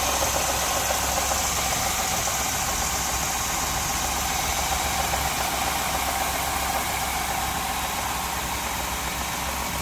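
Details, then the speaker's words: Truck with check engine light and correlation code, cold start after sitting overnight, noisy briefly: fast metallic clatter over steady idle, like timing-chain rattle; tensioners suspected, not confirmed. "I think that's tensioners making noise."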